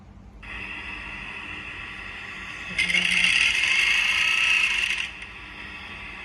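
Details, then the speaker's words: Industrial sewing machine with rotary hook set wrong so stitches won't form: sharp, fast high-pitched clatter that grows much louder once stitching starts; mistimed rotary hook. "ตอนนั้นผมผมผมกดเข้าไปฟังผมใส่หูฟังโอ้โหเสียงดังมากเลยตัวนี้เสียไม่ได้มันไม่ติดไม่ติดก็คือเสียงดังมากเลยลองลองฟังตัวนี้อีกเสียงดังก็คือสรุปแล้วก็คือตั้งโลตีผิดนะครับ"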